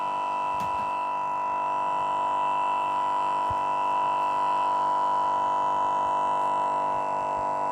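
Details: Newly bought Lenovo Yoga 2 11.6 laptop frozen and unresponsive, emitting a loud, steady fixed-pitch electronic buzz; the power button must be used to switch it off and on again. Cause not identified.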